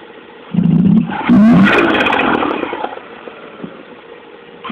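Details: Mazda RX8 rotary engine blipped twice, revs climbing sluggishly at low rpm; owner asks about a suspected knocking noise, though none is clearly heard.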